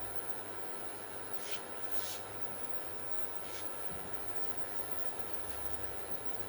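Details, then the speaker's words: Bluetone induction cooker after repair of breaker-tripping no-power fault, at full power: steady very high-pitched coil whine over faint hiss; normal coil whine at high power. "Này con bếp này chạy công suất khá là cao nhá mô này công suất khá là cao này ng tiếng rí từ khá là rít"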